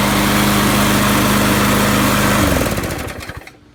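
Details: Craftsman push mower with a Briggs & Stratton 6.5 HP engine, after a new flywheel key, carburettor rebuild and oil change: a steady, even buzz at constant speed with no miss or rattle, then switched off; running healthy.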